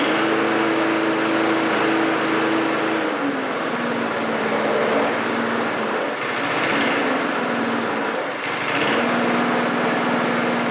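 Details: Briggs 3.5HP single-cylinder push mower engine (about 1978–1980) with diaphragm carburetor and automatic choke, running at about quarter throttle after deck repair: steady smooth buzzy beat, no misses or knocks; normal running.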